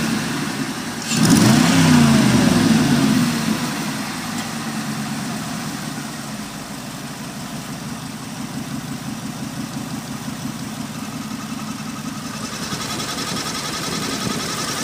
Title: Aurora 4.0 Exhaust Leak and Water Pump Whine